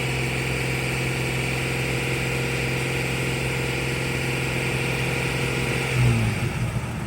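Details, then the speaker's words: Jeep Cherokee after hidden shorting wiring was repaired, which cured a bad misfire and stalling while driving; steady idle then a clean throttle blip with no stumble or miss, runs smooth and even, misfire gone. "Get a little bit of gas. We'll see how it does some more. running. Yeah, it's definitely gone. Yeah."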